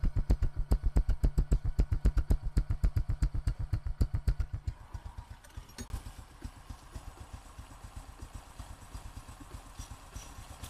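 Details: Honda Future Neo after repair with a brand-new clutch and replaced gear shaft and bearings: even idle beat of about four pulses a second with no knock or clatter, only faint clutch noise; the engine is running smoothly.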